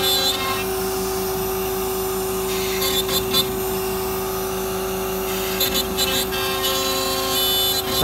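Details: MultiCam 3-204 CNC router, 5.5HP Colombo spindle at 16,000 rpm cutting an intricate design with a small tool at 225 in/min; high steady spindle tone over the vacuum pump's rush; smooth, fast, healthy operation.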